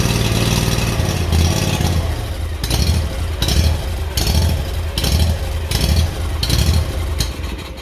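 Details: Kawasaki engine on a Hustler mower after new BPR4ES spark plug and fuel filter, still not fixed: engine speed rises and falls in a steady hunting rhythm about once a second, never settling; governor surge.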